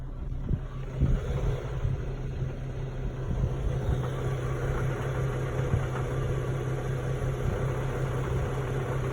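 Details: 2011 Infiniti G37x petrol engine in park: a loose, uneven rattle at idle that grows louder when the throttle is blipped; cause unknown.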